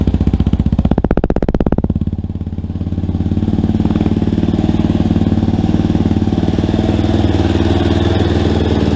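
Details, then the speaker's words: Rebuilt Yamaha Warrior quad, freshly rebuilt and not yet broken in, running with light revs: even, steady single-cylinder thumping with slight rises, no ticking or knocking; engine sounds healthy. "but man guys this sounds really good i'll tell you what i haven't tried to rev it up or anything yet but i didn't hear any noises i didn't hear any ticking or anything"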